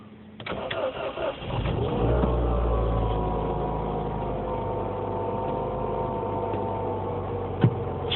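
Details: 2007 Mini Cooper S cold start at 9°F in garage (about 5°F outside) after sitting: cranks, stalls, restarted with half throttle, then uneven lumpy idle; dealer diagnosed condensation and ice inside throttle body housing, replaced with redesigned housing.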